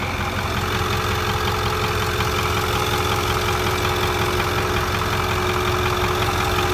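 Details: 2008 6.4 diesel at idle, soon after a water pump replacement: faint steady tone and loose rhythmic tapping over the clatter; owner checked vacuum lines and suspects a nicked line, cause unknown.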